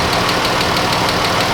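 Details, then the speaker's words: Chrysler 200 with 3.6 V6 warming up at idle, in for overheating with suspected head gasket: fast, even ticking that quickens with engine speed as lifters grind through the cam and tap, pretty noisy; lifter tick. "Lifters grind through the cam and they start tapping like this. This one's pretty noisy."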